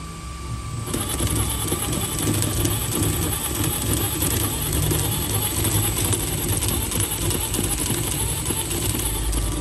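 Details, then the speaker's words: HB R1001 Ford Bronco RC crawler, before fix, phone mic held close to the gearbox. Rapid, rough clicking and grinding over the motor whir while running in gear. Shifter already upgraded to full metal, yet gear grinding persists. "seperti itu untuk suara yang amat-amat syadu yang suara membangunkan kita kalau ini harus ragat lagi ragat lagi ragat lagi"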